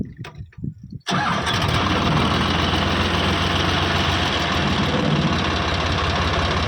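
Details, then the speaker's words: Eicher 50 HP diesel tractor started in neutral; catches after a brief crank and settles into an even, steady idle with no knocks; engine sound judged fine, normal start and idle. "Engine का sound सुन लो। इंसेंट का sound बिलकुल बढ़िया है। कोई दिक्कत नहीं है।"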